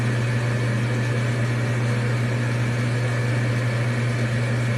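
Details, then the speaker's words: Amana gas furnace, startup sequence after a new igniter was installed: control board relays click, then the exhaust inducer blower spins up to a steady low hum with no rattle or scrape; a normal, healthy startup. "Control board's clicking. relays are doing things. Exhaust blower comes on."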